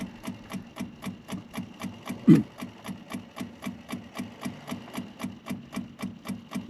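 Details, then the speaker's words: Triumph TR7 wiper motor, run on a battery: regular ticking about three times a second with a soft hum between; slow and laboured, can be stopped by hand grip; weak, struggling motor. "I can manage to stop them just gripping them, so that motor sounds like it's struggling."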